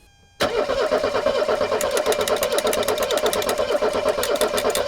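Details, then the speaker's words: 1984 Mercedes 300SD turbo diesel, first start attempt in years: steady starter cranking with an even chug and odd bumps as a cylinder hits, slight belt squeal, never catches; suspected insufficient fuel pressure to pop the injectors. "we're not getting enough diesel pressure the uh the injectors just can't quite get there they need more pressure than what they're supplying otherwise they're not going to pop"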